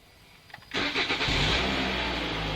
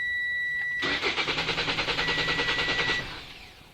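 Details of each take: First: 2017 Toyota C-HR after SkyBrake immobilizer installation. The tag is read and the LED blinks, then a quick crank catches at once and settles into a smooth, even idle. Normal engine start. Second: 2017 Toyota C-HR with newly installed SkyBrake immobilizer, tag not recognized (no battery in tag): warning beeps, then about two seconds of steady cranking at roughly three strokes a second that never catches; immobilizer blocks starting.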